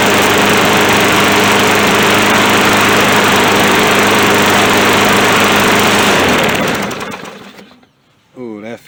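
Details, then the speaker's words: Poulan Pro lawn mower on its first start after reassembly: strong, even single-cylinder drone holding steady speed, then a clean wind-down. It runs healthy without needing a carburettor cleaning. "nice it don't even need a carb cleaning all he needed was me to get it running"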